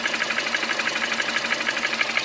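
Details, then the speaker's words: 2008 Nissan Versa hatchback, 1.8 engine, 188,000 miles: thin, uneven ticking idle misfire that started that day; the check engine light had been flashing. Owner suspected a coil, and it turned out to be the ignition coils. "I think it might be a coil the check engine light was flashing but it's not flashing now"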